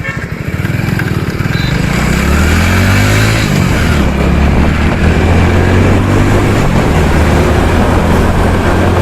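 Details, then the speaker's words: Hero Splendor Plus at 74,224 km, after repairing second gear, which misbehaved under hard acceleration. The small single revs strongly in first gear and pulls cleanly, with no crunching or jumping out of gear; normal gearbox operation. "तो gear वगैरा हमारे बिल्कुल सही यहां पर कोई दिक्कत नहीं है"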